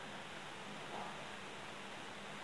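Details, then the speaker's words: Overlock sewing machine after servicing that cured a loud banging noise: knife holder connection and upper looper bar replaced, oil tank refitted; now an even steady hiss with faint low hum, no knocking, running smooth and silent. "So guys আমাদের এখন মেশিনে আর কোন শব্দ নাই এই যে মেশিনটা এখন একদম সাইলেন্ট আছে সুন্দর চলে এখন আর কোন প্রবলেম নাই"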